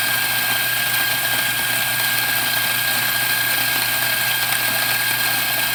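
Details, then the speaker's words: Macap M4 coffee grinder after repair: it had not been grinding because it was clogged with dirt, so it was cleaned and its broken knobs replaced. It now runs with a steady, even high-pitched motor whir, grinding normally. "all right there you have make app Grindr working once again"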